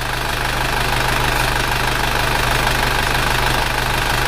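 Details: Isuzu Panther diesel after an engine overhaul, warm idle at 90 °C engine temperature: steady clatter about three beats a second, even and stable; exhaust smoke much reduced, a little left; healthy at working temperature.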